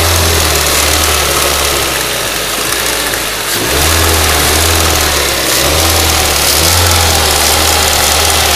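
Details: Ford Duratec HE 1.8 petrol engine idling then revving, with an uneven ticking that rises with revs; the source is unknown.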